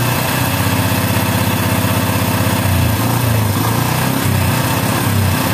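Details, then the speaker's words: Yamaha Bison single-cylinder, after the air screw is turned fully in: uneven, stumbling, popping beat with occasional sharp cracks; still backfiring and misfiring, likely a carburetor mixture setting problem. "dalam masih saja agak nembak-nembak"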